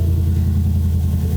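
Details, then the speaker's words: 2020 Ford F-350 7.3L gas V8, after fixing a belt/pulley squeal and replacing spark plugs for a slight miss: deep even rumble right after start, no chirp or squeal and no misses; accessory drive sounds healthy. "But yeah, I don't hear any squeaks, so looks like we're good. Any misses either."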